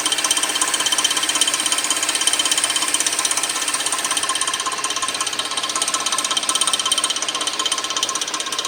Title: Weird noise from 2006 Suzuki 2.7 V6 Engine 3